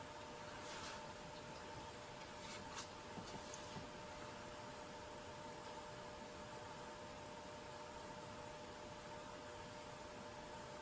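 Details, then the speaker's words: Early-1970s Graymark 511 all-band radio, first power-up after decades stored: steady low hum under faint speaker hiss; mains hum from failing electrolytic filter capacitors, which need replacing. "so I think those two um electrolytic capacitors will need to be reinstalled to get rid of that there's really nothing else in this radio that would uh go faulty"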